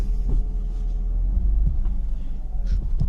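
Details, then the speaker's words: BMW E36 328i, mic near rear diff, handbrake test then driving: dull uneven knocks over steady low engine hum, worse with throttle; rear diff visibly moving on a worn, recently replaced diff bushing. "And you can hear how it's knocking. And I was looking at the rear diff and it was moving"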